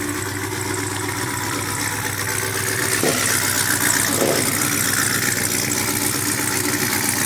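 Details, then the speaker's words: Brand-new supercharged GM LT4 V8 with CVF pulley kit, swapped into a 1971 Chevy Chevelle convertible with new exhaust: a deep, even idle with a steady throaty exhaust rumble, no misses or knocks. Normal, smooth idle. "That sounds so good. Huh? That sounds so good. Yes."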